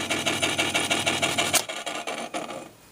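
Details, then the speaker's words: Sony TC-252D stereo tape deck in play mode: steady raspy ticking about three per second from the transport, then dies away; belt slightly loose, owner suspects flywheel needs lubrication; mechanical noise, cause not confirmed. "now what I'm what I hear is when I turn it on the stop is something keeps going and making that noise and maybe I can tell then what it is"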